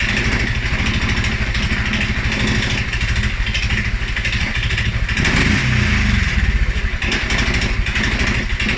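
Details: 2011 Polaris Sportsman 550 XP single-cylinder EFI: low, uneven idle thumping, stumbling and surging after a ride or revving; dealer found TPS, IAC, TMAP in spec, valves, timing, plug and 43 psi fuel pressure good; cause unknown.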